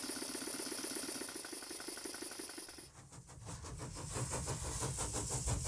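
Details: Stuart Models No. 10V model steam engine, a former non-runner, running after repair with slight crankshaft end float: quick, even exhaust puffs about three per second over a soft hiss, turning over steadily.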